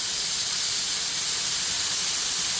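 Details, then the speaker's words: Truck after re-piping the differential lock air feed under the dashboard, engine started to build pressure: loud, steady high-pitched hiss as an air line blew off a fitting not tightened enough to crush the olive; air alarm triggered. "So, just let the air die down. makes a right row when the bloody airline pops off."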